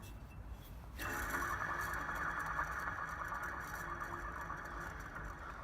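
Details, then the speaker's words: Walker Turner Model 1216-42 15" floor drill press being restored after sitting in an unheated barn; head disassembled, belt removed, pulley hand-spun gives dry raspy squeal with scraping undertone fading as it slows; owner suspects it needs bearings. "Sounds like it's going to need bearings."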